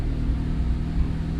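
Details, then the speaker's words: Turbo Honda with 3" exhaust and a new 4 bar MAP sensor, tuned on HTS tuning software with fuel added: low, steady, even idle with no misses. Idle corrected itself, settling back to fifteen from about sixteen. "heard the idle fix itself a little bit and now it's back to fifteen from like sixteen so you know so it's gonna"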